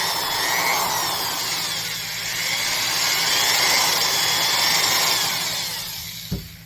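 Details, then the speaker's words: Steady high-pitched whir with even gear hum, no knocking or grinding, winding down at the end, from a well-used Milwaukee 1107 triple-reduction half-inch drill; reference for healthy gears. "That's a well-used drill, but the gears are actually sounding pretty good."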